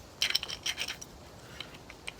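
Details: 2004 Chevy 2500HD 2WD driveshaft carrier bearing, spun by hand with driveshaft removed: dry gritty scratching and rattle from a loose bearing; worn carrier bearing that made a wind-gust howl while driving.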